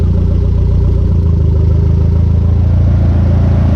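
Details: Conquest turbo G54B four idling warm, from just over 180 to 210°F with the fans not yet on (temperature switch suspected): a steady, even low thrum with a regular firing pulse and no misses or knocks; a normal idle.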